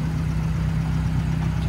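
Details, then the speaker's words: 2015 Fiat 500C Abarth MultiAir after a no-start caused by oil draining from the MultiAir brick during hot storage, re-primed: smooth, even idle with light injector ticking, top-end tapping calmed down; healthy. "sounds good let's take it for a light spin around the block see how it's working out yeah really sounds like the top end of the engines really calmed down"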